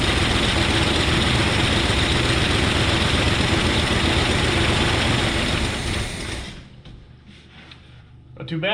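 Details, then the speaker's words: 1970 GMC 2WD longbed pickup, small-block Chevy engine, started after 20 years sitting in a junkyard, fed from the carburetor with the fuel line cut. It catches quickly and settles into a steady, even run with no misses: normal start. "but small black chevy they just run they just wanna run"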